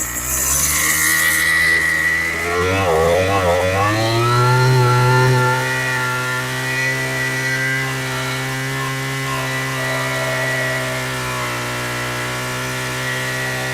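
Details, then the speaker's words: Craftsman 27cc string trimmer after Zama carb rebuild, new fuel lines and low/high/idle adjustment: revs up, drops back, holds a smooth steady buzz without surging or stalling; normal running. "All right, that sounds pretty good."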